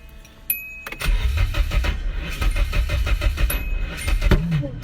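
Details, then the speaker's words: KA24E swapped into a Mk1 S12 200SX, first start attempt after fixing loose harness terminals: uneven, lumpy cranking for about three seconds with irregular thumps, turns over but doesn't run. "oh my god that sounds terrible not going to front i'm just so happy i got to turn over already this is huge progress"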